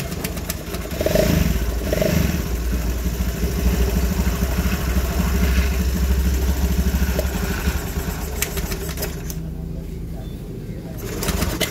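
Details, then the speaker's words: Honda Scoopy FI scooter idling: steady low drone with gritty, sandy roughness; worn crankshaft main bearing felt rough with play on teardown, to be replaced with an original part. "H bisa didengar ya kondisi si di awalnya ini seperti suara pada bagian tengah ya atau suara lahar kroas"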